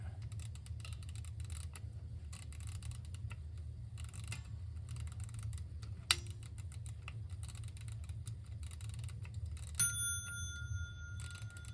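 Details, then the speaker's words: 1936 Ingraham SSD1 electric strike clock, first plug-in test during restoration: a faint tick under a low hum, then a clear bell blow that rings out and decays cleanly; the strike works properly. "All right, got it plugged in, and I'll turn it on. Well, it looks like it's working."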